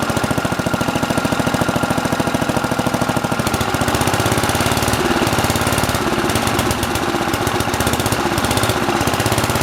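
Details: Simplicity 7010 lawn tractor, single-cylinder engine just restarted after head removal and spark plug replacement (old plug sparked intermittently): fast, loud, raspy popping exhaust with harsh crackle each firing; muffler rotted through and leaking, needs replacing.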